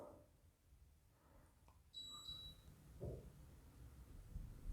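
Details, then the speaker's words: Mr Cool Advantage 12K mini split indoor unit: single short high beep on power-up via remote, set to 75, outdoor unit ramping up; normal. "okay so as you can see hopefully it is powering up it's set for 75"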